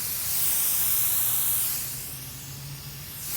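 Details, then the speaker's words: Pool filter air relief valve knob opened near the pump: a steady airy hiss swells and eases as trapped air bleeds out. It is left open until the water level is heard going down. Air relief valve hiss. "gonna hear hissing coming out of it you can open it up almost all the way without coming out and you're just gonna leave it there and it's gonna keep doing this little hissing thing"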